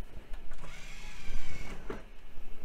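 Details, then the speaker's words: Vintage computer tower from e-waste haul, IDE CD burner tested; thin strained motor whine dragging for seconds with faint clicks as tray opens very slowly, drive still works: slow optical drive tray. "okay well let's try the CD burner [Music] [Applause] open very slowly"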